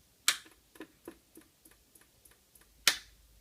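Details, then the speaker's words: Macintosh Plus power-on: switch click then soft, even flub-flub ticking about three times a second as the supply cycles instead of starting; suspected shorted flyback or bad capacitors, later found bad U3 optoisolator. "Well, there might be two problems. A, the flyback might be shorted, and that's really bad. But B, it may have bad capacitors."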